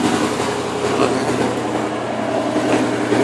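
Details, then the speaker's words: Mustang first start after sitting about two years, good oil pressure and charging: steady even idle with smooth continuous note, no knocks or misses; engine idles healthy and settled. "I don't know it sounds pretty good though stock what it sounds good not bad for 700 bucks I'll take it"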